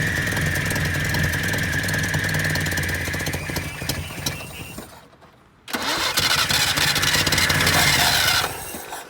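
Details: 1978 Datsun 1500 Ute GN620 after 20 years parked, cranking with foot flat while checking if the mechanical fuel pump draws from the rear tank: starter grinds with high whirr, engine catches momentarily and fades; cause suspected, not confirmed.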